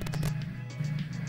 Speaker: it's become very indispensable not only to see the data that's coming across but to hear the beeps and to be able to diagnose serial i/o problems just by hearing discrepancies in those beams